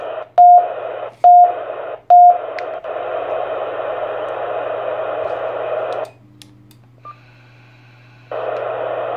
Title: Tyt TH-7800 beeping issue